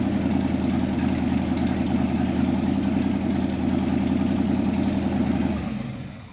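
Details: 1955 Chevy V8 stored 20 years, with the front accessory kit and alternator newly installed and a 12.3 V battery. It ticks over at a steady, even idle for several seconds before shutting off, running smoothly.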